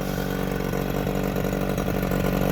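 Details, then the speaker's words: Johnson 9.9 hp two-stroke outboard, electric start, after carburetor and fuel-system cleaning, new thermostat and cover, impeller okay: brisk, even idle then revved, crisp firing, no misses, shifting through neutral and reverse, light smoke; running healthy. "got all the four neutrals in reverses she runs pretty damn good give her some beans"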